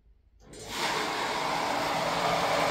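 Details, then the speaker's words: Basement water pump for drip irrigation, switched on by a smart WiFi plug: it spins up within half a second to a steady, even hum with a watery hiss and stops when switched off. Running normally. "What can you hear? After clicking, it turns on, let's turn it off, the pump stops."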